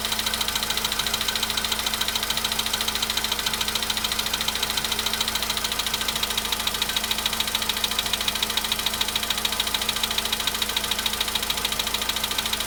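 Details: VW Polo Sedan at 93,000 km, cold-start idle: sharp, very even ticking about three and a half times a second over a steady idle; an engine knock whose source is not yet found.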